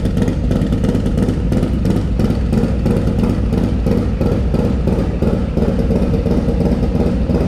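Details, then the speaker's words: Harley-Davidson Lowrider S with Milwaukee-Eight 131ci Stage IV kit, low compression, after swapping Screamin' Eagle 517 cam for Cycle-Rama 512 cam: first start-up and warm-up idle, strong even loping V-twin beat, crisp with no clatter or miss; normal idle. "That sounds way better. Let's just run this thing up a bit more, just get it warmed up a little bit,"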